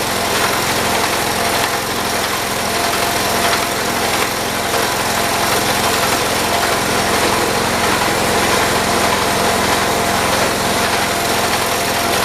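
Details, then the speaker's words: 1978 John Deere 208 lawn tractor, small single-cylinder engine after head gasket replacement, throttled up to moderate and running steady and even with no misses or surging, so the repair worked. "i'm gonna risk it i'm gonna throttle it up some and we'll see what happens [Music] there we go i'd say we got it"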